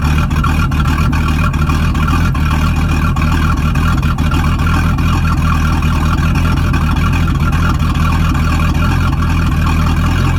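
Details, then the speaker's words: Boat sterndrive engine at startup, its first start in three weeks: a deep, steady V8 idle rumble with no knocks or misses; runs healthy. "um all right guys you just saw the uh video of it running so that's always a positive it's the first time it's been started in three weeks"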